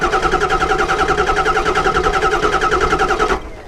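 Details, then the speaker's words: Ford 7.3 Powerstroke cranked via starter remote wire jumped to battery positive as a compression check; starter churns about three and a half beats a second but quickens unevenly on a couple cylinders, low compression, not running on all eight. "and I don't know if you guys can hear that in the video or not but it kind of speeds up through a couple cylinders it's not like it was like and it kind of went up on a couple cylinders that's a good indication that this motor isn't running 100 on all eight"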